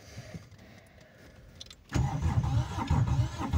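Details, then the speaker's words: Aixam microcar diesel: starter turns it over with uneven, heavy chugging but it never catches; cranks without starting, cause unclear. "Es nezinu, ko teikt sliktu, bet man nepatīk tā skaņa. Man nepatīk tā skaņa."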